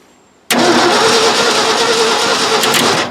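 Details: Ford F600 dump truck, first start attempt in years, hot-wired with a spark indicator and the solenoid jumped: the starter spins steadily for about two and a half seconds with no firing. Crank, no start with no spark.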